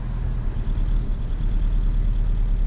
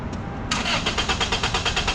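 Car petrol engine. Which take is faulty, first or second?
first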